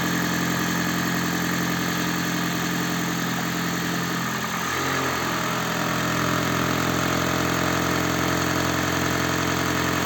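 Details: Toyota Prius (20/30), cold start: uneven, lumpy idle near 160 per minute with rattling knock; misfire from worn spark plugs and failed injectors, plus damper knock.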